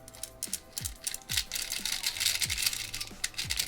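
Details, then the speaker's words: Speedcube being turned: sharp, irregular clicks cut through the rattle of turning layers, not on every turn; a loose magnet assembly rattling inside a corner piece is believed to cause the click. "there's like a magnet assembly that's inside the corner and it's not quite attached to the actual piece so it rattles around just a little bit which is that what I think is causing the click actually"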